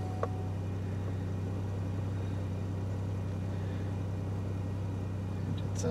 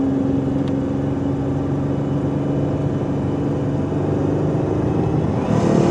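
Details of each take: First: 2006 Buick LaCrosse CX 3.8 V6 with complaint of rough running/surging under load and engine light: after sitting overnight, starts well and idles with steady, low, even hum, no knocks, ticks or stumbles. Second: Buick 3.8 V6 under hard (about 3/4) throttle, diagnosed for surging and poor running: engine drone rises with a sharp exhaust hiss, suspected restricted exhaust; a P0420 code was also seen.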